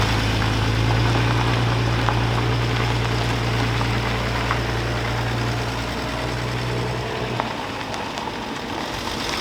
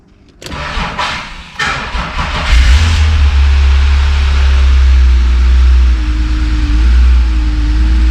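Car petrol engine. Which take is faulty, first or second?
first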